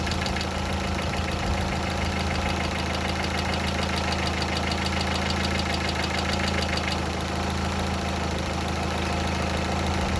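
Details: Hydraulic lifters ticking lightly and quickly over a steady idle after water got into the oil; the owner reports an oil change fully cured it.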